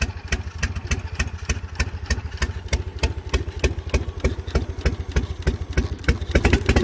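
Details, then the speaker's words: Slow, lumpy idle with heavy hit-and-miss thumps about three a second like a drum beat; cylinders dropping out, spark plugs and injectors both suspected at this point. "totally sounds like a hit and miss"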